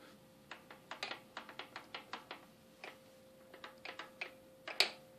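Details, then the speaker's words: Yamaha Champ ATV shaft-drive rear end, boot pulled back at the U-joint to rear shaft: sharp, uneven clicks about three a second as the shaft spins freely by hand; suspected cracked shaft sleeve letting the shaft spin, sometimes mistaken for bad transmission. "here and I can just spin this freely so hear that clicking noise"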